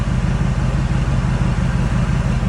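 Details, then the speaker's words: 1998 Ford Expedition 5.4 with rebuilt engine, after reseating a leaking mass airflow sensor grommet that had caused a rough idle: deep even exhaust rumble at idle, no stumble, surge or hiss. Normal idle. "and now you can actually hear the exhaust"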